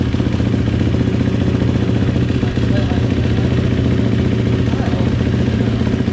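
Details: GasGas dirt bike, first start after top-end rebuild: steady low throbbing at a fast even idle, no knocks or rattles; normal running.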